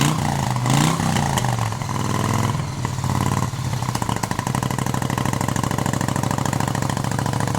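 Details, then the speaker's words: 1971 Moto Guzzi Ambassador, 4-speed, under full restoration with changed crank and new rings, first fire-up: cranks, catches, revs briefly, then settles into even steady loping idle without rattle; healthy first start, motor sounds quiet and tight. "So, anyways, this is the first fire up. We're doing this for Dave. Dave, here's your bike. And it sounds good. Sounds good. Everything sounds good."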